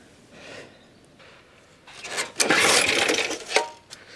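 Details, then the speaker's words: Suffolk Super Punch/Colt lawnmower (75G14-25A manual) being pull-started in winter after basic maintenance: cord rattles and clicks, engine cranks but won't fire; fuel reaches cylinder, so no spark suspected from points gap opened when lock screw was tightened. "There's definitely fuel getting into the cylinder, so i'm pretty sure we weren't getting spark."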